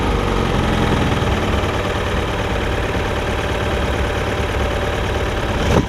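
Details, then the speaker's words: Mercury MerCruiser 3.0 sterndrive on muffs, sat nine years, after new fuel pump, new carburetor and freeing rusted throttle collar: steady, even idle around 800 rpm with smooth beat, no knocks or misses; healthy. "it's idling at like 800 rpm so that's right on the money"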